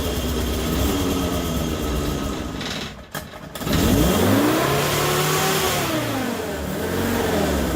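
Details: Morris Minor 1000 van with Judson supercharger, air filter fitted: revs keep swinging up and down, either racing or cutting off, instead of settling; idle mixture screw to be reset.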